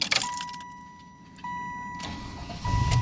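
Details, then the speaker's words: LT1 V8 restarting after a PCM tune, no check engine light: faint whine and clicks as the fuel pump primes, then it catches at once and settles into a steady idle; clean, normal start. "Yep, it starts right up. Holy shit. I'm letting it warm up."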